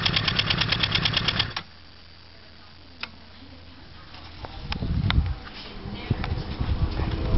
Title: Problem with 03 CBR600rr - Clicking noise